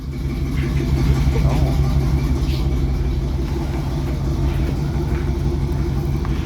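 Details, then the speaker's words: 1971 Chevy C10 pickup, 350 small-block V8, cold started after sitting three months, now warmed up and firing on all cylinders: deep, even burble at idle, steady regular beat without misses or knocks; normal. "all right she's warmed up so she's firing on all of them now see if she runs on low idle"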